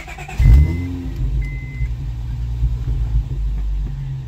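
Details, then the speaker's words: Honda V6 starting and idling lumpy with uneven exhaust pulses: a misfire that also sets codes when driving; owner assumes fouled spark plugs and plans OEM Honda plugs, possibly checking coils. "okay you can cry here the exhaust you guys hear that it's not smooth that's a misfire and I get misfire codes to when I Drive"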